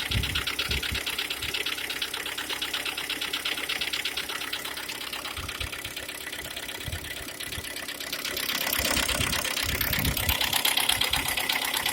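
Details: Engine knock on a G4KD engine with 102,000 km: sharp, even ticking about three per second over a light idle, steady throughout; source not yet pinned down.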